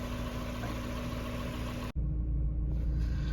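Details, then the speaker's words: 1994 Mazda Miata after winter storage, with throttle stop, idle speed and timing recalibrated the previous year: steady low even idle hum with no misses, knocks or surging; idling smoothly. "she's running real smooth you know all the stuff i did what was it last year when i recalibrated the throttle stop and the idle speed and the timing doing all those three at the same time she's been running beautiful ever since consistent and perfect so i'm pretty happy about that"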